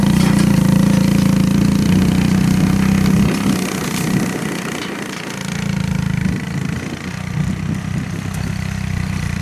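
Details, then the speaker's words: 1984 Honda ATC three-wheeler, single cylinder, riding in first gear making a track: thump sags and stumbles, recovers, dips again, acting out of fuel with gas in the tank. Carburetor cleaning planned. Fuel starvation. "Well, that didn't take long. It acts like it's out of fuel, but there's still gas in the tank, so I suspect something is going on with the carburetor."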